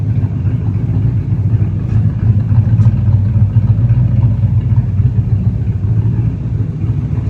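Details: 1969 Chevy C10 with a non-original hopped-up 283 V8, mild cam and Unilite ignition, after timing and carburetor adjustment; it had been stalling before: deep, even rumble with no misses, knocks or ticks. Engine sounds healthy.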